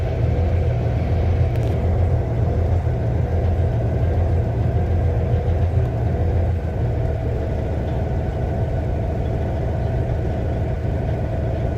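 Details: 2006 Cummins ISX CM870 diesel with a rough idle: deep lumpy beat, roughly eighty pulses a minute, never settling into a steady rhythm.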